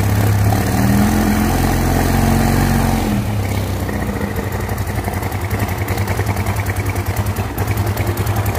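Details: Yamaha Mio Soul carbureted scooter after top-end rebuild (seized, locked connecting rod from oil problem; cam and rocker reconditioned), first start once reassembled: catches and settles into steady idle, firing evenly a few pulses per second, no knocking, oil rising; normal.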